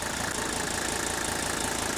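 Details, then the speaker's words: Mercedes OM617 turbo diesel idling on diesel purge fed from a purge tank via the return hose: steady, even clatter with no knocks, shake or vibration, smooth off idle, injectors quiet and uniform. "Look at the idle. Look at the air cleaner. Look at the lack of shake and vibration. Listen to it come off idle, how smooth it is. See how quiet those injectors are?"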